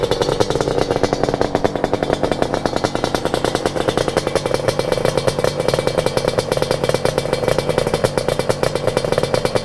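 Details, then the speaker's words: Yamaha RD350 cafe racer two-stroke, fully rebuilt with top end done, about 9 miles since rebuild, first got running the previous weekend; crisp, even crackle at steady revs with no misses or knocks. Normal idle. "She's bad. She sounds good. She runs good. She stops good. She starts good."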